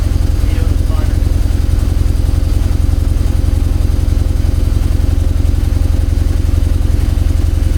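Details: Mazda RX-8 Renesis rotary after Haltech Nexus R3 ECU and loom install, belts just tightened, smells lean: low, even burble about three pulses a second, smooth and steady with no ticks or rattles; normal idle.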